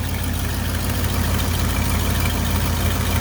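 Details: One-owner 1977 Ford F250, 351M V8 with factory quiet exhaust, C6, about 29,700 original miles, freshly serviced out of storage, warmed up, fast idle disengaged: steady, even low rumble, no knocks or stumbles, healthy warm idle.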